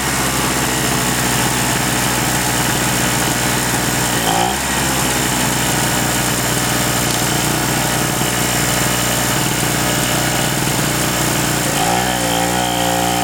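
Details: King Canada 950W (800W running) two-stroke generator, previously non-starting after sitting, repaired and tested under load with a heat gun plugged in: buzzy drone holding steady pitch with brief dips as load comes on; running fine under load.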